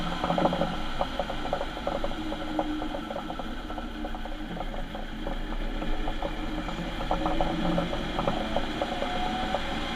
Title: What a bad diff sounds like on a transit van